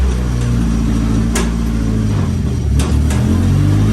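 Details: Nissan S15 running on the lift after a new sequential gearbox was fitted: a steady engine drone with crisp, clean clicks as it steps through first, second and third, with no whine or grind; the gearbox is working properly.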